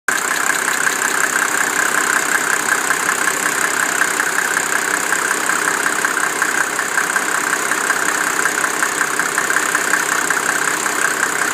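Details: 1987 Mercedes 300SDL diesel, 119,000 miles, with a number 15 head, idling warm at 80°C: light ticking about three a second fades in and out, stops after a few minutes' driving; owner suspects injector, vacuum pump, sticking valves or timing chain.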